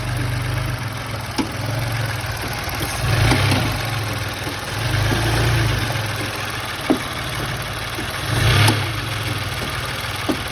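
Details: Idling engine with occasional dull clunks as revs swell and drop; noise attributed to a loose engine mount.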